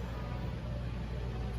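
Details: Induction cooktop heating a cold frying pan of water with ravioli, which boils within moments: steady low hum at even pitch, no buzzing or rattle, normal operation.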